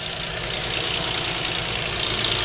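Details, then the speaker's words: Engine with a 2.7, to be torn down for an insurance claim: rapid, loud metallic ticking knock over the idle, seeming to come from one side; suspected valve train issue, not confirmed, new engine recommended. "But that is extremely loud, and on a 2.7. we do not make any kind of repairs, guys. There's some kind of valve train issue."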